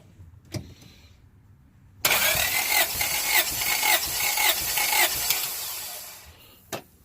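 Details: 1996 Honda Prelude Si dry compression test: even starter cranking about two turns per second, steady compression pulses with no dropouts; cylinder reads around 180-185 psi, normal cranking.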